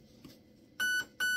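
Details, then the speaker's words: Raven Evolution Furion ETU in programming mode: two short, clear high-pitched beeps about half a second apart confirm active braking is switched off. "you will hear two beeps that means active braking is off"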